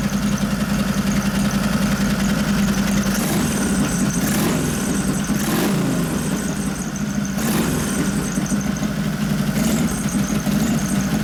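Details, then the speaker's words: 1989 Harley Softail 93ci panhead with a rebuilt, rejetted Mikuni HSR42 carb: lumpy V-twin idle with quick throttle blips that pick up cleanly. It is taking throttle better after the accelerator pump was turned way down. "So turn the accelerator pump way down and it's taking throttle better. You hear that?"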